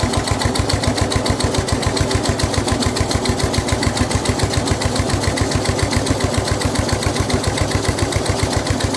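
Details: Snapper rear engine rider, Briggs 12 HP single-cylinder, abandoned for years, new carburetor: steady beat around 3.5 firings per second, running heavy as mower blade turns when it shouldn't; runs well otherwise, blade load made starting hard.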